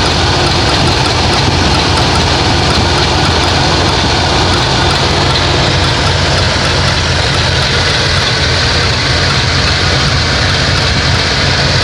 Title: Whats that clicking sound? 1988 Plymouth Gran Fury